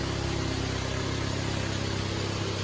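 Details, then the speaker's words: 1972 Fiat 850 Spider: small four-cylinder idles with an even, steady pulse and no misfire or ticking; healthy idle, though the owner thinks the carb may still need cleaning. "Plus, now that it's running, I gotta figure out how to turn it off. That'd be the key. Otherwise, it'll run forever. Look at that, it's running great."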